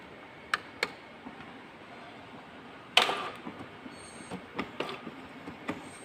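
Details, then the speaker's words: Epson L4150 printer after reattaching a dislodged encoder disc (possibly knocked off during a paper jam) and cleaning waste tank: clicks, a burst, then light carriage ticks and whirs as it initializes normally; blinking-light error cleared. "Yun, okay, mukhang okay na siya. Yan, okay. Nawala na yung kanyang error, yung kanyang yan."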